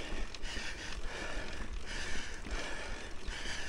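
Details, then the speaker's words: Mountain bike on a steep climb in the lowest (easiest) gear: rhythmic light clicking about once a second as the chain rubs its guide. This is a normal signal that the rider is out of gears. "we hear that clicking sound my chain rubbing against train"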